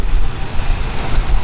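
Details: 1976 Chevy El Camino, 350 small-block V8, 700R4, AC off, warm idle just under 1,000 rpm: low, steady rumble with even pulses, no knocks or stumbles; normal idle.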